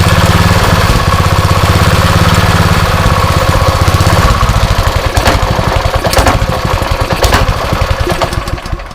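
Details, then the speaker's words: Rebuilt blown Honda GX160 single-cylinder engine, first start: strong popping about two beats a second, sags slightly midway but keeps firing on its own; runs, though maybe still some carb problems. "Alright then. I call that a success. Still maybe some carb problems."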